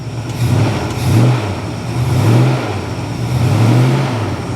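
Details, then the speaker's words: Cold 1973 Plymouth Scamp flood car with heavy white exhaust smoke, possibly just condensation, being revved. A deep, steady note rises and falls with throttle blips; a slight misfire was suspected, but it sounds good with no knocking. "she really does sound good she does she sounds good"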